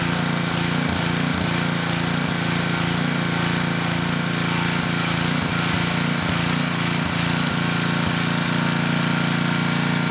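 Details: Tecumseh HM100 10hp engine on a Western Hemisphere 6,000 W generator, after oil top-up: steady, even, lazy chugging, roughly three firings a second. Engine speed a little low; governor spring adjustable, but carb and needle-and-seat need cleaning first.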